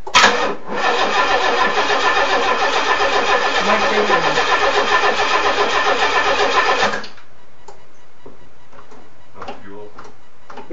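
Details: Nissan Z24 engine, first start after head gasket replacement, coil pack left connected but engine turned by hand with heads off so timing may be off; cranks steadily at nearly four compressions a second for six seconds without firing.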